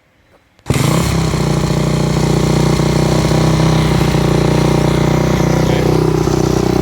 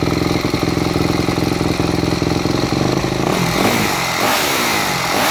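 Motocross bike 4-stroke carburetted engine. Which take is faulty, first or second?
second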